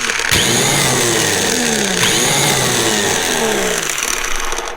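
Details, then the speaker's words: Snowblower electric starter bench-tested after removal for a no-start (gunk fell out around the Bendix): a sharp spin-up into a clean, steady high whir, then wind-down with no grinding. The starter is fine and the carburettor is suspected instead. "looks okay to this guy so I don't think the starter is the issue although I am glad that I took it apart"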